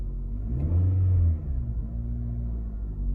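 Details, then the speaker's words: 2014 Nissan Rogue with 49,000 miles, which came in running rough with misfires in cylinders 4 and 2, random misfires and lean codes. After replacing the ignition coils and spark plugs, a throttle blip settles into a smooth, even idle with no stumble. "runs good."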